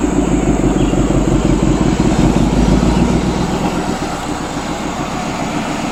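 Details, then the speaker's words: Ford Mustang Shelby GT500 V8, warmed up, a pull after replacing intercooler pump and pump harness: loud steady exhaust roar with constant high supercharger whine; normal boost restored after two years without it. "Finally running correctly. Finally going into boost now. It just feels so good to first of all hear my car correctly and hear the supercharger again."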